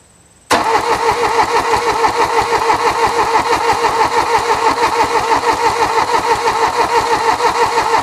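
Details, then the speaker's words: 1979 Mercedes-Benz 240D diesel sitting 13 years: starter churns steadily, about three beats a second, but the engine never fires. The glow plug circuit isn't activating, and a faulty relay is suspected. "the glow plug circuit still does not seem to be activating so at this point I'm suspecting a problem with the relay"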